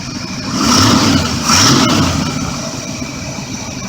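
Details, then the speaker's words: RV's 1985 Chevy 454 V8 after new plug wires, platinum plugs and alternator belt, idling about 750–800 rpm with about 20 inches vacuum: low, even rumble with gentle blips, no misfire or stumble; smooth idle. "sounds like she's running a bit smooth there's the new alternator belt"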